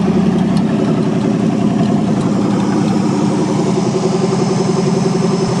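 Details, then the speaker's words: 1963 Allis-Chalmers loader with 1978 Monte Carlo 305 V8, first run after 5.5 years: deep even idle with steady low burble, no misses or knocks, everything working good; normal idle. "Everything's working good."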